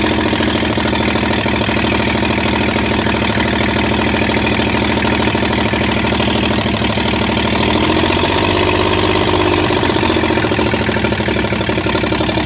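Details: Rebuilt 307 small block V8 in a 1965 Chevy C10, first start in 20+ years without exhaust manifolds; loud, uneven lumpy idle with popping and a sag; rough idle, ignition timing was off and later corrected.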